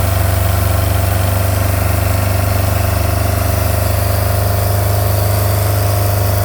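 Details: MerCruiser 3.0 marine engine idling steadily with rapid raspy puffing from an exhaust leak; the block is frozen and cracked from improper winterizing.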